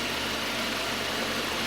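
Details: Citroën C4 2.0 after cylinder head repair at a machine shop for an engine noise; steady, even idle with a smooth hum and no ticking or tapping, running sweetly.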